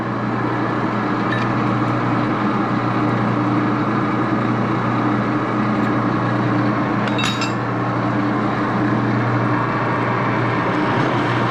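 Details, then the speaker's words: Axelson lathe after adjusting rear Timken spindle bearing pair (front bearing slightly warm), old-style open end gear train running in gear: steady low hum from spindle and gears, occasional light clink, no grinding or rumble; normal running. "I'm going to start it up and show you the the gear train in action okay here we go okay now I'm gonna put it in gear"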